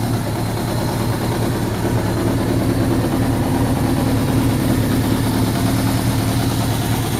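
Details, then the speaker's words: Suzuki GS1100 G four-cylinder, first start after carburetor strip-down, cleaning and valve clearance adjustment: steady, even burble at tick-over with no knocks, ticks or hunting, carbs well balanced; normal idle (oil leak still present). "that's pretty good that sounds pretty good to me"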